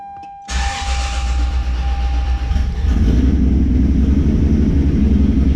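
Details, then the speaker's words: Toyota Supra MK4 700 hp build with BC 272 camshafts, first start after fixing a poorly soldered connection: engine catches cleanly and settles into a lumpy choppy cam idle with no stumble or misfire; running as it should. "hey y'all y'all heard it that mug is still hitting"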